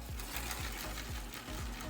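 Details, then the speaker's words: Honda CR250 front aftermarket floating rotor with loose rivets, caliper fitted, wheel turned: faint regular scrape-and-tick about four times a second as the rotor slides and rubs the caliper, causing heavy drag and wearing metal away. "can hear it sliding on the middle slowly tearing it apart so also causes significant drag as you can see"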